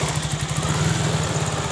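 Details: Three-wheeler (Treseda/Kaisar) that would not move in gear, after replacing the clutch linings, running in first gear; steady even single-cylinder beat with no knocks or slipping surges; pulls cleanly, normal.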